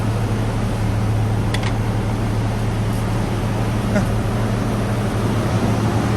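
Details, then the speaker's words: 1994 Toyota pickup, first start after 8 years sitting, following a new fuel pump and cleaned tank: steady, even low hum with no knocks, misses or ticks; smooth, healthy idle. "First start in 8 years. Sound pretty good."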